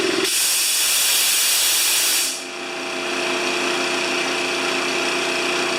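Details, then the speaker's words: Honda GX160-powered wheelbarrow air compressor, serviced with fresh oil after the customer suspected a governor fault; two seconds of rushing air, then a steady engine hum with an even, quick pulse as it recharges after simulated air use. Normal load cycling. "After it starts up and pressurizes, it goes back to idle and it sits there and waits for you to use air and then kicks back on again and so forth."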